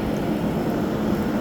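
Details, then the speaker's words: 2012 Frigidaire 8,000 BTU window AC, model LRA087AT7, dirty after sitting outside, set to 60 with the compressor running. Steady hum, fan airflow rush, no rattles; cold air at the front, hot at the back. Normal running. "We have a decent amount of airflow come out of the front um of the back side though. Could be a little better."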